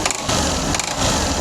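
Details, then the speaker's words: 2022 Hero Xtreme 160R, 20,264 km, idling: uneven metallic clatter, strange engine noise, typical of broken balancer springs and rubber dampers. "इसके engine में एक आवाज पैदा हो गई है और बहुत ही अजीबो गरीब आवाज है"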